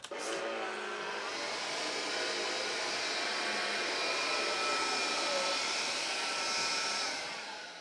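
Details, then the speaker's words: Hoover upright the owner pieced together from discarded warranty-center parts, with an underpowered two-thirds-size onboard design. A high, airy motor whine wavers slightly, then winds down. It sounds rough and not in the best of health; cause unknown. "maybe doesn't sound in the best of health and I have a whole video of this on my on the channel but this machine is a machine that I pieced together and saved"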